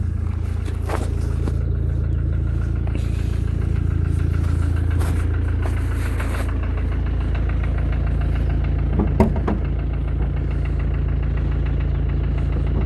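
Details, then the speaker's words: 2014 Mercedes diesel OM651 bi-turbo with 300 (thousand) mileage, cold start, hood open: light regular tick about four per second at idle, same cold or hot, seemingly from the top end near the turbo; engine otherwise runs normally; cause unconfirmed. "такой, как сказать, штук безобидный, вроде как. Где-то сверху что-то. Вроде как сам мотор работает нормально, но где-то ещё битурбо."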